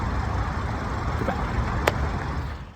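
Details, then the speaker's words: MINI/BMW B46/B48 turbo direct-injection engine after an oil change: a low, steady, even idle with a light sewing-machine tick from the injectors, which is normal for a direct-injection engine. "you can hear it's purring away slightly sewing machine is but that's how dry conjection car sounds"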